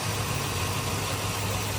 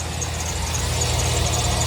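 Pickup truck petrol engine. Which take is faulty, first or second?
second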